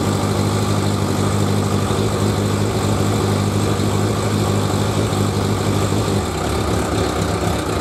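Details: 1100G motorcycle after sitting at least two months, carbs primed by the fuel pump, with a new LiFePO4 lithium battery and diodes dropping the 14.7 V charge to 13.9 V: a steady, loud low idle with an even beat and no knocks or misses; normal idle.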